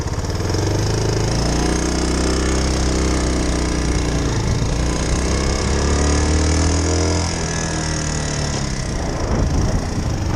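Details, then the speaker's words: 2001 Suzuki Savage motorcycle, newly rewired and running, idling in neutral: a steady, even single-cylinder thump like a lawnmower with no knocks or misses, not running hard; healthy idle. "sounds like a lawnmower almost. It's really nice, to tell you the truth."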